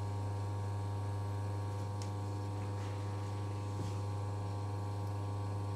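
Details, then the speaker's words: Oriental wall fan after servicing: first (lowest) speed, which would not run before servicing, now runs with a steady low hum and smooth even whirr, no rattle or labouring; left running a few minutes to free up, working normally. "ನೋಡಿ ಅವಾಗ ಫಸ್ಟ್ನೇದ್ರಲ್ಲಿ work ಆಗ್ತಾ ಇರಲಿಲ್ಲ, ಇವಾಗ ಫಸ್ಟ್ನೇ ಸ್ಪೀಡಲ್ಲಿ work ಆಗ್ತಿದೆ."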